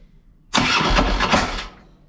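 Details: 2007 Harley-Davidson Ultra Classic, warm, after Screamin' Eagle compensator upgrade for hard warm/hot starting: about a second of labored uneven cranking that stops without catching; still hard to start, starter now suspected.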